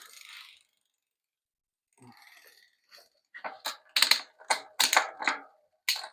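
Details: Aventon Soltera e-bike rear derailleur after barrel adjuster turned counterclockwise to fix poor shifting: a few light crisp clicks, no grinding or chatter; shifting cleanly.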